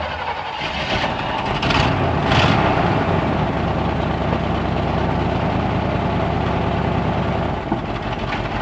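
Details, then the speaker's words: 1965 Chevrolet C10 old engine attempting a burnout revs with a ragged, uneven beat and stumbles; owner suspects it is down on a few cylinders from spark-related issues, so it wouldn't do the burnout. "It started to burn this one, but it acted like it kind of wanted to start going posy and kick both of them, which I think this old engine is kind of down on a few cylinders due to some spark related issues, so it didn't want to do it."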